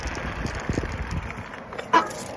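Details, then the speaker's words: Bicycle at moderate speed braking with the front hydraulic disc to a complete stop: tyre and wind rumble fade with no squeal after the fluid-contaminated rotor and pads were sanded, cleaned with rubbing alcohol and heated. "complete stop no squealing and then i'll show you the back which i just did"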